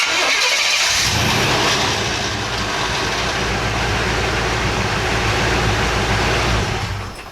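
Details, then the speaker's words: Chevy K5 Blazer with hot crank-no-start history, at operating temperature after replacing the ignition control module: brief crank, then it catches at once and settles into a steady, smooth idle. Owner is convinced the module, which fails when hot, was the cause. "so I'm satisfied and I'm convinced that it was the ignition control module it makes sense because that's the part that goes when it's hot"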